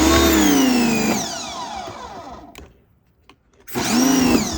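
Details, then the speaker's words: New Canadian Tire Certified 1800 PSI 1.4 GPM corded brushed electric cold-water pressure washer, first run, motor starting on trigger pull: bright whine spins up, winds down, restarts cleanly; normal start. "Oh, okay, so when you push the trigger, it turns on."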